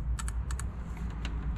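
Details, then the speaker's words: Honda with cylinder 2 not firing; injectors pulled from the fuel rail and bench-tested before swapping positions: sharp paired clicks in quick, crisp, consistent bursts. The injector opens and closes normally. "Zanim je zamienimy, sprawdźmy szybko czy w ogóle działają. Słyszysz to? Działa."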